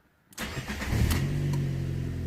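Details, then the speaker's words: 2015 Fiat Panda 1.2 petrol with an immobilizer crank-no-start, repaired by reconnecting the original ring antenna: a short crank, then it catches within a second and settles into a steady, even idle, though a warning light stays on. "There we go. Look at that. Okay, we have a warning light and a thing in there, but it is working."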